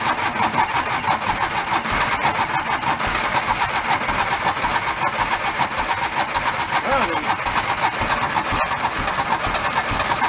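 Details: 1976 Porsche 914 converted to a station wagon in 1978, bought rough and not running, fuel injection not expected to work: starter cranks at an even rhythm for several seconds without catching; cranks but won't start, cause unconfirmed.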